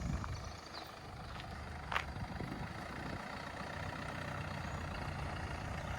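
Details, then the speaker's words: Crash-damaged Mercedes GLA 200d AMG Line diesel, rebuilt, now running and driving in the yard with under trays still off: low, even rumble with no knocks or misses, a healthy engine. "It sounds beautiful."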